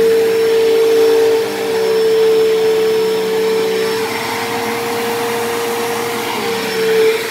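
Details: Dyson DC07 upright vacuum, long unused, running: steady, loud, piercing whine holding pitch, shrill for this machine; owner suspects dried-out bearings in motor or brush roll, motor bearings already somewhat worn and worsening, still passable.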